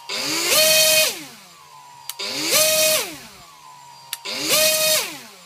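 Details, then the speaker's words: Brushless motor on a Pixhawk setup, 2200 kV on 3S, with power module connected and ESC 5 V BEC line disconnected: it grinds roughly at each throttle-up, a sync issue, then catches and rises to a clean whine. "you can hear kind of grinding noise before it picks up speed"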